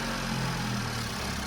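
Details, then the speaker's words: Fire-damaged Audi RS3 after cold start: even steady idle with smooth low rumble, no knocks or misses; settled and healthy, secondary air working, ethanol smell noted. "Oop. Oh, she sounds pretty good. Secondary air was working."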